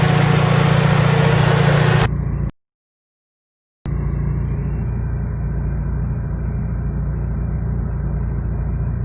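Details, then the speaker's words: Fiat Punto petrol engine, after idle shaking and single-cylinder misfire, tested next morning: steady, even idle with smooth low thrum, no stumble or shake; normal idle. "Because the car is no longer vibrating, I will test it this morning and start the inspection first. It seems very ok, ready to go on the road"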